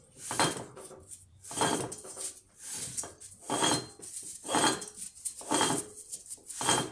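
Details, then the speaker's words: Rear wheel bearing from a 2008 Nissan Armada 4x4, turned by hand: gritty metallic scrape about once per turn; the bearing is worn out, and on the road the noise rises with speed. "entre más velocidad usted le da su carro El balero se hace más el ruido más alto más alto a llegar un momento que usted dice Guau eso está muy alto Ah Ese es la señal número uno de que su balero ya no sirve"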